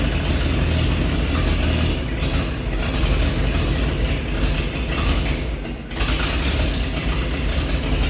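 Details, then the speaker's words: 1948 Chevy truck engine, not run for 30 years, diesel fuel in the oil pan, new coil fitted: low steady chugging idle with one brief dip; running good, slight steam from thermostat housing. "well we got her started all right so you guys heard a run you know she's running good"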